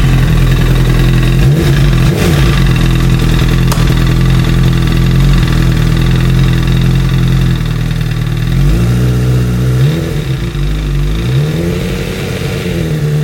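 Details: 2008 Honda CBR1000RR four-cylinder revving: an uneven, deep internal knock through the idle and blips, suspected crank noise covered by a recall. The knocking eases slightly when load is applied to the rear tire.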